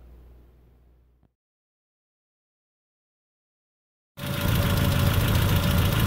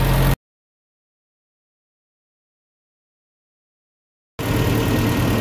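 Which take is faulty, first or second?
first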